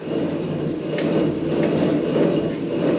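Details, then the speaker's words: Dodge RAM 1500 rear differential pinion turned slowly by hand with driveline removed, giving a rough, gravelly growl; worn pinion bearing causing the rear axle noise. "normal is a growling sound so far everything seems to point out that invariants are going to be the problem"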